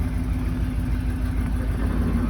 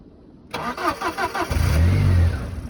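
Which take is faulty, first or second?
second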